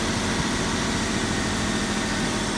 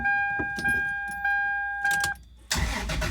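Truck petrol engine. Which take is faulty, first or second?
first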